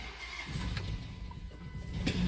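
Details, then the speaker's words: Replacement used Gen 3 5.7 Hemi V8 cranking and starting: lopsided, uneven cranking rhythm from a weak cylinder, with popping through the intake, ticking and shaking; misfire present. "hear the weak cylinder when it's cranking, right? And the popping through the intake, and the ticking, and it's shaking."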